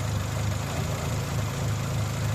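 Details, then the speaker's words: Dacia at warm idle with idle speed drifting slightly up and down, after oil change and oil-system flush; throttle, MAP sensor and lambda checked and working, smoke-tested; low steady rumble, hunting idle. "прослухайте що воно робить з мотором зараз є такі плавання таке зараз Ровно Трошки покивала да зараз"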